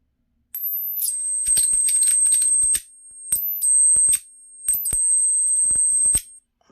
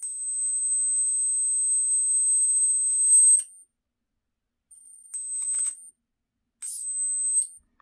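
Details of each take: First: 12 V 555-timer flyback driver for an ion lifter, 20-35 kV output, with a salvaged ~0.0033 µF capacitor: piercing steady ~8 kHz whine in three bursts with crackling arcs and sharp snaps; noisy. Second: Flyback driver on 555 timer with MOSFETs, running from 11.1 V battery, output about 25-30 kV: high steady whine with crackly buzzing arc bursts stopping between runs; normal arcing, MOSFET still cold.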